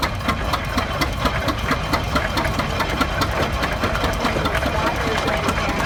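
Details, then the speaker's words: 1917 Eagle F 16-30 two-cylinder tractor (7,200 lb) idling after starting: slow, even beats around four a second, one piston then the other, steady and unbroken; healthy idle. "If you listen to that engine, it was very distinct. One piston, then the other. Boom, boom, boom, boom."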